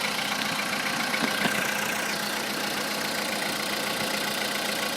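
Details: Volkswagen Polo sedan engine started cold at about 10 degrees after a fix for a metallic cold-start knock: even idle with steady hiss, no metallic tapping standing out; cold knock gone, normal idle.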